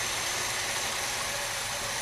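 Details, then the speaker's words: 1979 Cutlass 403 V8 with rebuilt Quadrajet carb, first start after the swap, engine cold. Settles into a steady, even idle and the collapsed-lifter tick has quieted. Runs well, though idle mixture may need adjustment. "wow this thing runs pretty good it sounds like the carb I know the motor's cold the car might need a little idle adjustment"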